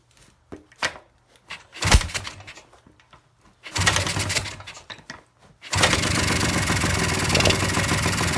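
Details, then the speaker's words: Kawasaki F7 175cc two-stroke dirt bike, damaged threads tightened over suspected compression loss, flooding problems: coughs and sputters in short bursts, dies, then catches and runs ragged, barely staying lit. "And I kicked it on, and it started running a little bit, so that's cool."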